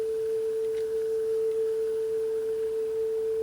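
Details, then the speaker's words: 42-year-old Sony TC131SD cassette deck, playing a test tone tape after head cleaning: a steady pure tone near 440 Hz sitting slightly sharp; the tape speed is slightly fast, and head azimuth adjustment is next. "little bit on the sharp side actually it's pretty close a little bit high but not too bad"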